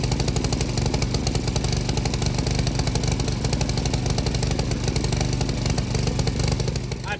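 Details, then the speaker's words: Vintage MTD tiller 218-430-205, 5hp Tecumseh single, carb air cleaner missing, frozen throttle cable: even low-speed putter, firing steadily with no misses or hunting; normal low-speed running. "Got her running. Got her chilling."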